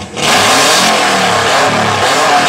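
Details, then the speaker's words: 1995 Subaru Legacy, first start since August after turbo relocation and engine work, smoke from the battery, something likely not hooked up: loud, raspy engine revving with harsh exhaust roar well above normal, cause unclear. "My God, that's loud. Oh, Lord Jesus."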